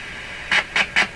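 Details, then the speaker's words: Strauss AM/FM tabletop radio during signal injection at a transistor's collector and base: three short raspy buzzes come cleanly through the speaker. The stage's voltage is now present and it is passing signal. "Boy, I think this transistor has come to life here because this voltage is there now."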